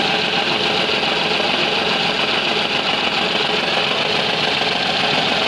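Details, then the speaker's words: Renault Kwid with engine check light on, engine misfiring and vibrating heavily at idle: uneven stumbling beat with a dead cylinder, caused by open number 3 injector control circuit in the harness between injector and ECM. "आप देख सकते हो बिल्कुल भी मिशिंग कर रहा है engine काफी वाइब्रेशन और मिशिंग कर रहा है आप देख सकते हो"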